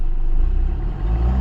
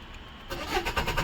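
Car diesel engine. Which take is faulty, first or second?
second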